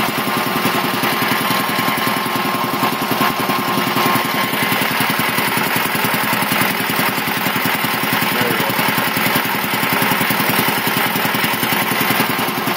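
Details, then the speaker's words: 1975 Quincy QR-325 compressor pump converted from a 3-phase to a GE 5 hp single-phase motor on a smaller pulley, pump slowed from 796 to 621 rpm, building pressure; a fast, even chug with a steady hum and no knocks or rattles. "it still runs very very nice and quiet so actually probably choir then maybe it originally did but still builds up pressure pretty quick"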